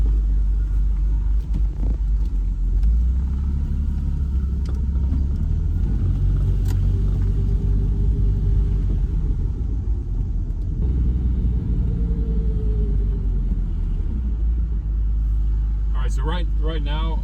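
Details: 1990 BMW E34 M5 inline-6, earlier low-rpm misfire and stalling: steady even idle with no stumble, with a faint whine the owner suspects is the accessory belt.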